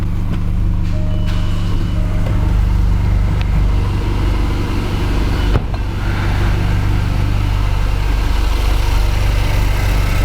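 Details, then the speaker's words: 2015 Jaguar XF 2.0L four-cylinder with flashing check engine light, idling: loud lumpy idle with uneven low throb and visible shaking; unplugging cylinder 1 changes nothing, confirming a dead misfire on cylinder 1. "hopefully you can see the shaking and disconnecting number one does nothing disconnecting number two does have"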